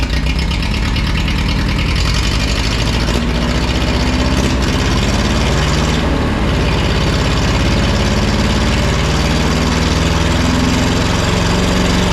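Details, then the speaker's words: Neglected forklift with leaking hydraulic tank: heavy engine creeps up in speed on its own instead of settling, idle surging and racing; throttle won't return, owner plans a return spring to make it idle. "okay so I've got a problem with the throttle it seems to be accelerating so I need a throttle return of some sort"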